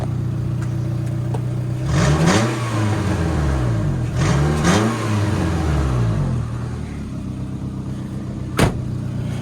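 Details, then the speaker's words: Renault bought as scrap, started out of gear: idle with a few rev blips, the exhaust roaring far louder than it should. The previous owner was told it was the manifold, but nothing is visible on a quick look; the leak is suspected, not confirmed. "But yeah, we'll give it a start up and we'll have a listen to this exhaust. I will apologise in advance because it is quite loud."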